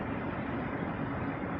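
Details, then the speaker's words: G.Skill ENKI 240 AIO cooler in a mini-ITX PC build with Ryzen 5 9600X, fans loud: steady rushing hiss with wavering hum; owner suspects air bubbles in the pump, maybe evaporated liquid, with no fill port to top off. "Oh, that pump sounds like it's got air in it. That's what I'm hearing. I'm hearing air bubbles in there. So, maybe some of the liquid has evaporated."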